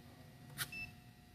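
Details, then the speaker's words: Tire pressure monitoring receiver carried in a tire tech's pocket gives a soft click and one short high-pitched beep, warning of a low tire. "if they want to check the entire fleets tires they just walk with this in their pocket and if it starts beeping in their pocket there's a low tire"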